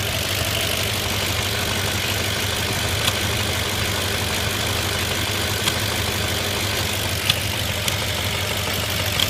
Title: 05 A6 4.2 misfires and thumping sounds from throttle body/manifold?